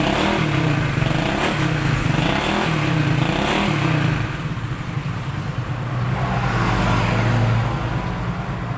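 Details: Honda Dream 100 single after repairing a fault where the electric start cranked but would not start while the kick start worked; it now starts on the electric starter, needs a little throttle, then putters evenly and picks up cleanly.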